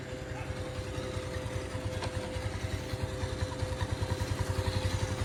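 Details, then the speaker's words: Bajaj Pulsar motorcycle just after a full engine fitting, key-started: a steady single-cylinder idle with even, regular exhaust pulses firming up slightly, and no knocks or rattles. The sound is judged very good; the clutch is slightly tight. "ये start हो गई और engine का sound देखिए कितना sound मस्त आया है। साउंड वगैरह सब बहुत अच्छा आया है।"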